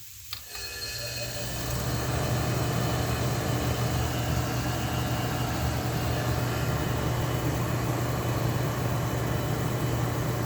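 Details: Restored Oasis dehumidifier with what is thought to be a Tecumseh reciprocating compressor: steady, even low hum with a constant drone, no knocks or rattles after fan-rubbing tape was fixed; compressor runs smooth and healthy.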